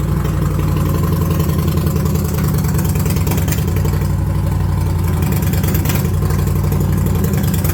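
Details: 2021 Indian Challenger V-twin with a 13 mm hole drilled in the cat: steady, even beat that picks up cleanly on throttle, no knocks or rattles; running normally.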